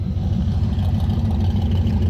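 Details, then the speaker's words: V8 4-speed Maverick with Holley carb after revival: deep, even burble at smooth steady idle with no misses or hunting, no fuel leaks found; normal idle, sounding as it should. "that's the way we're supposed to be sounding good deal no fuel leaks looking pretty good can't argue with that"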